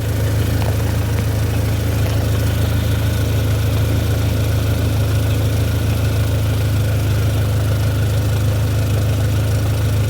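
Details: 2004 Dodge SRT-4 that had a crank-no-start from corroded power wiring to the starter, now running with the check engine light on; deep steady note with no knocks, misses or rattles: normal running.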